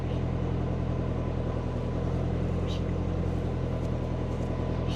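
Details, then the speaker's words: Subaru Forester on Haltech ECU after lowering O2-control settings to about 22, before enabling long-term fuel trims: steady, even idle with no hunting or surging after a blip; normal idle. "It's a lot better. I'm going to enable long-term fuel trims and see how we go."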